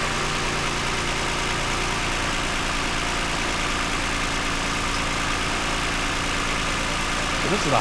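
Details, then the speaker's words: 2009 Toyota Highlander, 276,480 miles, cylinder 2 misfire with engine light; after swapping coils 2 and 4, steady even idle hum with no stumble or skipped beats; normal idle, no longer misfiring. "Actually runs pretty smooth, quiet. Partly why I bought it."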